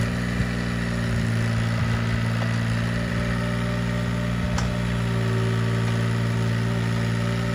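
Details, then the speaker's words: Mini excavator small diesel at warm idle: steady low even firing; belt squeak heard when cold stops once the thermostat opens; normal warm idle. "you can hear that squeak and just suddenly stopped as soon as that thermostat opened"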